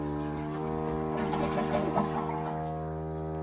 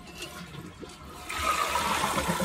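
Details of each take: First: Toilet refilling after a flush: steady, loud, reedy buzz at even pitch through the pipes; air trapped in the plumbing or the shutoff valve were also considered, fix tried is replacing the fill valve. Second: Toilet that buzzed in the pipes when flushed, after fill valve replacement: steady rushing flush with no buzzing or pipe vibration; new fill valve fixed it.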